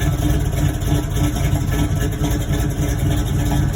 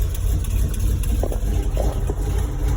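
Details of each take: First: 1989 Toyota truck with swapped V8 after oil change: deep, steady, even idle with no knock or tick; less smoke than before, though some white exhaust smoke remains. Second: 1989 Toyota with V8 swap, electric fan running, 50 psi oil pressure at idle: steady idle rumble with a faint irregular puffing tick following engine speed; exhaust header leak.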